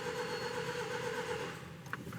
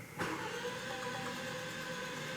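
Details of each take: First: 2015 Range Rover Evoque engine cranking after variable valve lift replacement, left to crank before starting: even, steady compression rhythm with no misses, compression building up; normal cranking compression. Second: 2015 Range Rover Evoque, after variable valve lift replacement: steady starter cranking without firing, compression strokes coming and going unevenly as the new valve lift parts prime, then building; uneven compression while cranking.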